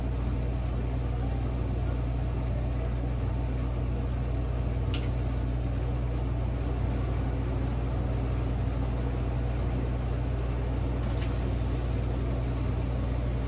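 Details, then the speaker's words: Commercial cafe cooler condensing unit on R-404A, after replacing a leaking suction-line service valve and pulling deep vacuum, valves mid-seated: condenser fans on and compressor kicks on, deep even hum with steady fan whoosh, no knocking; normal operation. "Oh, that's a good sound. I hear the condenser fans are on. I just heard the compressor kick on."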